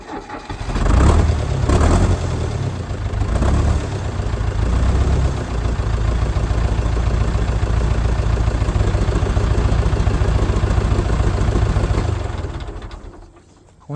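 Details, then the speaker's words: International 125 Series E powershift track loader, sat about 10 years, after freeing a seized part: diesel fires with a quick crank and holds an even, steady idle clatter; runs smoothly, though oil still pours from the belly pan. "fired up real good with a quick crank over but unfortunately uh I didn't see any oil leaking up here"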